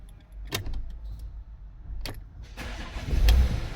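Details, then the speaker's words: Porsche Cayenne 92A diesel with an engine light, after charging its weak 520 A battery: a couple of sharp clicks, then instant catch into a steady low rumble with no struggle; battery replacement planned; normal start. "look at that instant start all right the car starts straight away no delay and no struggle to actually turn over"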